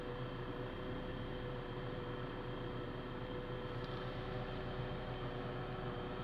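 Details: Gearbox (DUU manual) in neutral at idle after clutch, disc, release bearing replacement and input shaft bearing renewal: steady drone with constant whirring hum from the gearbox.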